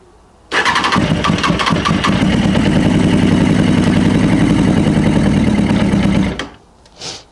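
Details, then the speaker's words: Honda CB600F with carburetors, brake cleaner sprayed into the intake as starting fluid, choke can't be held open: fires and runs rough for about six seconds, then dies abruptly. Runs only on the spray; fuel starvation suspected, not confirmed. "Okay. So, it's running on that brake cleaner."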